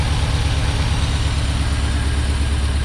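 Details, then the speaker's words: 1990 Ford Ranger with remanufactured long block, cold engine: rough, uneven loping idle that shudders and misfires on throttle input, dropping at least one cylinder and worsening until it may stall; starter sounds like low compression; rough idle. "when it's cold and a throttle input and it starts misfiring I don't know if you'll be able to see it and it's shaking pretty good it's dropped at least one cylinder"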